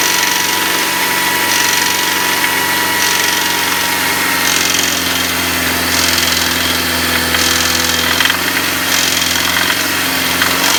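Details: BMW M43 engine idling warm with an intermittent knock that swells and fades in waves. No knock when the engine is cold; it starts once warmed up. Cause unclear.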